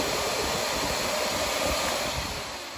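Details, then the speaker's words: Shark Lift Away Deluxe vacuum, reassembled after its very dirty filter was cleaned to fix lost suction and a loud sustained shhh sound: a smooth, steady airy whir with even pitch and no surging; running normally. "Clearing that all out, went ahead and solved the suction problem. So that filter was just very dirty and needed to be cleaned out."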